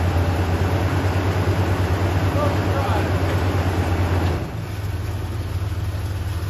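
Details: 1979 Chevy K10 pickup abandoned over 20 years: deep, fairly steady V8 pulse easing in level midway, running on its own fuel system at first revival; engine firing and running.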